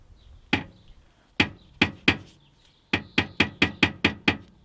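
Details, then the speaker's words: Nissan Primera P12, rear noise after a 400-mile trip; engine off, exhaust muffler rocked by hand: loud metallic clunks in bursts. The heat shield is thought too quiet to be the cause; the muffler moves too much and hits the body. "i reckon that's the noise we're hearing so it seems the muffler is moving too much and hitting something"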